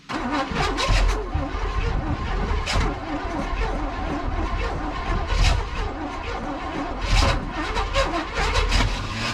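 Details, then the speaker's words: 1981 Chevy truck V8, first start after sitting about 29–31 years: lumpy, stumbling running with uneven pops and surges that never settles; owner suspects timing or rocker arms. "oh sounds like she's out of time like bad at a time or something like that because it ain't sounded right may i have a rocker arm or something off or multiple rocker arms off"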